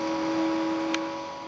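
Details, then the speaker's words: Sunon fan from a Linksys EtherFast EF2124 24-port switch, long in service, run on a separate supply outside the unit: small fan whirring with a steady hum and a couple of fixed tones over airy hiss; tired, noisy cooling fan. "take it off the supply so it's not as noisy but you can kind of hear it this one apparently has been in service for a while"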